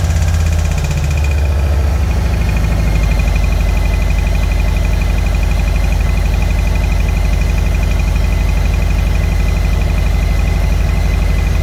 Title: 2021 Roadglide Special making rattling noises